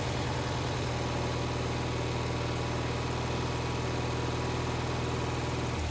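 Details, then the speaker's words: 1974 Bolens HT20 garden tractor returned to service after long storage, new battery fitted and fuel primed; engine catches and settles into a steady, even low thump at idle with no knocks or misses; running normally. "we've been letting it run for a while so it can burn off most of the oil that was on the bottom of the exhaust"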